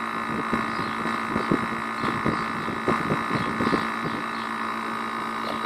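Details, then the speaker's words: Air conditioner compressor labouring at very high head pressure after the condenser fan stopped, overheating; strained hum with irregular knocks, very loud, thermal protector tripping. "geralmente ele fica fazendo esse barulhão é quando ele tá com esse defeito ele é muito barulhento é muito barulhento"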